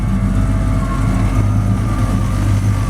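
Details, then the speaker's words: 1940 Ford pickup resto rod, Ford V8 with a mild cam, AOD automatic, 9-inch rear and serpentine belt drive: deep, steady, smooth burble at idle with a faint lope through the exhaust tips, no knocks or ticks. "these make tips give it a really nice sound um we'll show you it idling up here"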